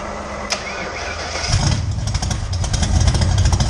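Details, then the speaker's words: 1979 Ford Mustang with a high-compression 302 V8 and 5-speed, first start, new battery fitted, sprayed with starting fluid: it cranks about a second, then catches into a loud, ragged, uneven rumble. Hard starting. "i'll shoot it with some starting testing for spark if it basically if it makes any sort of noise it's probably all right give it a crank hey look at that all right so it runs"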